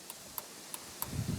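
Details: 2nd-generation Dodge Ram, after replacing the original turn signal flasher relay: crisp evenly spaced clicking, hazards and left, right and front signals now working; faulty old relay was the cause.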